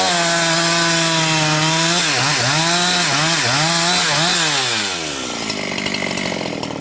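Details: Husqvarna 362XP Special with wrong ignition coil and Walbro carb, cutting firewood: full-throttle scream dips and gargles about four times a second, then drops under load; cuts out near 11,500–12,000 rpm, barely 10,000–10,500; not carburetion, coil rev limiting.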